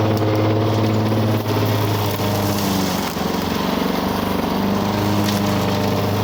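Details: 1985 Lawn Boy 7350 two-stroke mower, revived after years outside, chopping brush; busy buzz holding steady, dipping briefly under load then recovering; owner says good running old mower, though RPM seems a little low.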